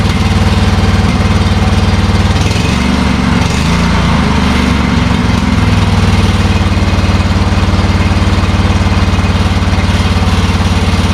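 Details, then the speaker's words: 2000s Craftsman riding mower, sat about six months with good fuel and a dead battery, started on choke with a jump box: steady, even single-cylinder thump at one speed, no misses or knocks; runs healthy. "six months sitting in a garage with good fuel in it and a bad battery who knew since the motor runs"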